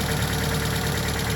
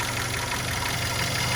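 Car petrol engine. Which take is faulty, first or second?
second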